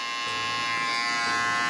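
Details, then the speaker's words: FX hair clipper just fitted with an upgraded Tomb45 motor and battery and the blade reset: strong, steady high-pitched buzz with no sputter or grinding; the motor runs hard and even, just loud. "They're still loud. It's like all of them, but I don't know if you can hear it."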